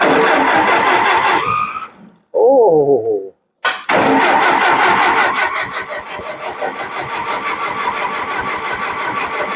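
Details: Antique Ferguson TO-20 tractor cranked after a battery boost/charge: the starter churns in rhythmic bursts, pauses, then cranks again at a steady beat but the engine never starts.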